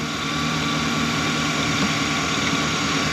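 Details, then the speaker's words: 2015 Chevy Express van after bank 2 injector misfire: pushing in a fuse restored power on both sides; engine now idles evenly with steady hum, no stumble or rhythmic miss, firing on all cylinders. "literally the car is totally fine now all I did was push in the needle to that fuse push the oil to the top I have power on one side and Power on the other and the car is running all right"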